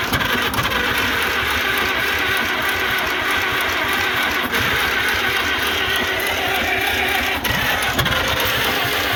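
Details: Antique International Harvester McCormick 64 pull-type combine engine, first start after purchase, carburettor needle and seat working, clean inside: steady, even run with no knocks or misses, oil pressure present; normal running.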